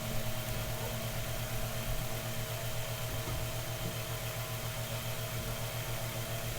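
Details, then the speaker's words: Mainstays 9-inch high velocity fan after oiling and blade balancing service, declared in full working order: steady, even motor hum with low drone, no rattle, scrape or wobble; normal running. "okay so as you guys well know this fan is now in 100 working order"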